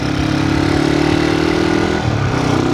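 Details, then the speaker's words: CG 99 single-cylinder motorcycle after valve adjustment on loose valves, first feared to be rod knock: steady idle with an even, soft tick and no heavy knock; noise much quieter, running normally. "e eu percebi que o barulho já tá bem mais tranquilo"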